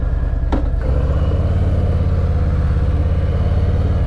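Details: 2019 Harley-Davidson Fat Boy Special with 114 cubic inch engine, started at the start of a test ride: the starter whirs briefly, the big twin fires at once and settles into an even, loping low idle with no knocks or rattles. Normal start and idle.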